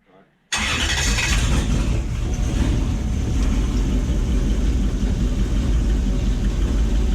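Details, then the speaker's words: Gen 1 non-VVTi Lexus 1UZ-FE V8 (ex-LS400, EGR deleted, Link Atom ECU) in a jetboat, briefly run without water: uneven lumpy idle with irregular stumbling exhaust beat, running on 6 cylinders; injector wiring checked with test light. "yeah so I've got a couple of moments just to confirm which cylinder isn't running"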